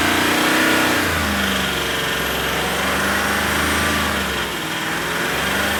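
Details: Range Rover SDV8 diesel at idle, also surging under light acceleration: steady even tapping about four per second persists after two new turbos, two EGR valves, oil cooler and EGR cooler seals, oversized big-end bearings and crank polish; cause unknown.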